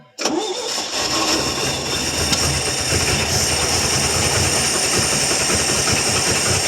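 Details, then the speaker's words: 1966 GMC half-ton, 250 inline six, sat two years, first start with HEI connected and plugs not fully tight: engine catches suddenly with a sharp backfire pop, then runs rough and uneven; needs timing work. "Well, she kind of took and backfired a little bit."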